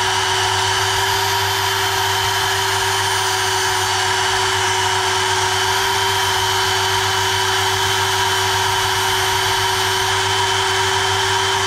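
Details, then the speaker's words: GTPRO ceiling sander brushed motor after repair: a smooth, constant whine at one pitch with no sparking or sputter, and the brushes still need to bed in; normal running. "Okay, good news, it works 100%. When you turn on, you don't hear the sparky fast sound, but it's for time being, it will rest themselves in."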